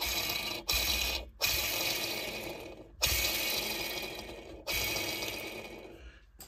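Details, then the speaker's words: Aprilia RS motorcycle engine opened for full rebuild: hand-spun bearing gives a dry, gritty rattle dying away after each push, a worn, rough bearing. "parce que écoutez le bruit du roulement"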